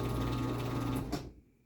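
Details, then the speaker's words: Rare Chamberlain PD752KEV 3/4 HP garage door opener on a mini door: steady motor hum with light chain whir over the sprocket, then a clean stop; runs smooth and normally. "it actually does run pretty smooth for what it is so yeah that's the 3/4 horsepower Chamberlain"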